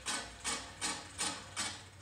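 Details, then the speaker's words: Scott's reel mower, adjusted close enough to cut paper, gives crisp ticks about three times a second, once per reel turn, as one blade touches the bed knife; owner suspects that blade is bent or longer. "the only noise you're hearing right now keep in mind is that one blade on that reel that is making contact at that bad knife"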